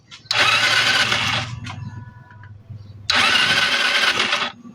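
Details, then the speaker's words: Euro 150 fuel-injected scooter that suddenly won't start, spark confirmed good: two rapid cranking bursts about a second each during a compression check with the plug hole covered, with a spitting puff at the hole. Compression present, still no start. "Walang putok. Ayun meron meron naman siyang compression. Meron naman siyang compression."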